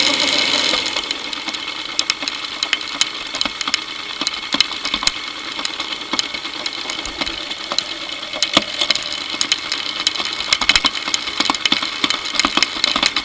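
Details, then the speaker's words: Motorcycle drive chain running unlubricated, via a homemade electronic stethoscope microphone: fast irregular metallic ticking and rattling with a hissy high-pitched edge. Owner suspects wrong tension, dirt causing grabbing and jumping, or a worn front sprocket; unconfirmed. "okay it's possible my Chain's not at the right tension it's possible that it's a little dirty and it's grabbing and jumping it's even possible that my sprocket on the front needs replacing"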